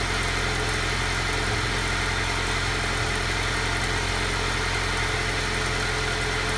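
Cold engine idling with a slightly uneven, shaky beat and a faint wavering rhythm rather than a smooth hum: a rough idle.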